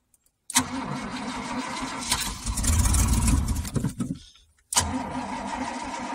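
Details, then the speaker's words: 2000 Chevrolet K2500 4x4 5.7 V8, sat about four years with rodent damage: engine catches, runs unevenly about four seconds, fades and dies, then fires again; starts then stalls, owner suspects low fuel or weak fuel pump. "this is out fuel or weak fuel pump I can't believe she's trying to run"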